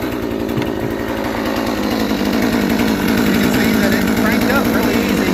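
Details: New Proyama 62cc chainsaw just after a cold start with the choke: a quick, even two-stroke burble at idle, steady and with no misses; idling normally.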